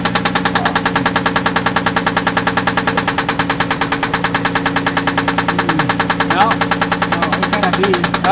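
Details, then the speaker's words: Toyota Land Cruiser at idle, tested by loosening one cylinder at a time for a pitch change, keeps a loud steady sharp knock about three per second, unchanged; cause not confirmed. "okay you're gonna do number three loosen it up and we'll see if there's a pitch change in that knocking"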